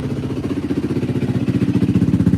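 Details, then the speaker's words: 2003-2005 Yamaha WR450F on its first start after a carburetor rebuild, with a little choke: even, steady thumping from the big single at a fast idle, firing pulses clean and regular with no misses. It runs healthy. "Wants to start, I think. Sounds like it wants to go. This thing's freaking running tits McGee right now."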